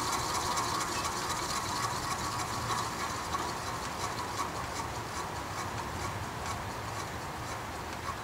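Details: Vintage Penncrest (Lakewood) 3-speed 20-inch box fan, stored six years, bearings oiled with WD-40, no motor play, blades tight: light uneven ticking rattle over a fading whoosh during spin-down; spins freely, cause unknown.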